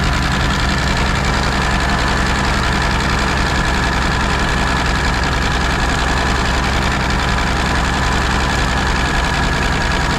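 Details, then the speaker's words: Peterbilt 359 diesel started after sitting 20 years, with a new fuel filter fitted. Loud, steady, hard-driven roar with a fast clatter that never drops back: a runaway. There is little blow-by; a turbo seal is suspected of feeding engine oil into the engine, unconfirmed. "it won't cuz it's burning the oil from the turo if that's what it is yeah cuz if you jump straight engine oil into the engine it'll run away"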